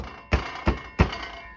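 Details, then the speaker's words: 2022 Can-Am Ryker; three dull thumps tapping the back seat, each followed by a brief tinny metallic ring, an occasional rattle also heard when driving, caused by a loose metal plate running under the seat and gas tank, bolted at the back. "or even drive down the road, you can hear that occasional rattle. So what that rattle is, it's actually this little metal plate."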